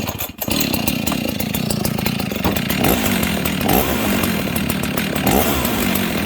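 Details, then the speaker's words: Husqvarna 61 chainsaw: a steady, buzzing two-stroke idle that holds an even speed without dying or moving the chain. It idles properly. "Okay, no chain movement."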